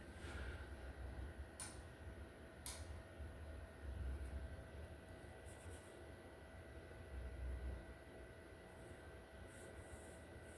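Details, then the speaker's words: Samsung 75-inch QN90A Neo QLED TV (QN75QN90AAF) on plug-in: two sharp power-supply relay clicks about a second apart, flashing red LED, no backlight, picture or sound; main board fault, fixed by replacing the board. "So if I plug in the TV, I hear a click on the power supply. Uh you cannot see any backlight."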